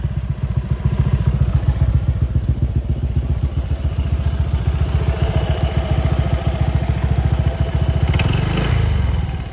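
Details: Honda PCX160 scooter, 2021 model with black gear, 70,000+ km, idling: fast, fairly even tick about three or four per second; owner first suspected the cam chain tensioner or pump gear, but the cause was a spark plug not fully tightened.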